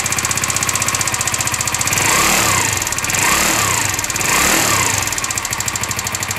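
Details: 50cc four-stroke scooter converted to 90cc, long stored in a garage, running after an oil change: a quick steady putter with a gentle rise and fall in revs and no knocks or rattles. A smooth idle.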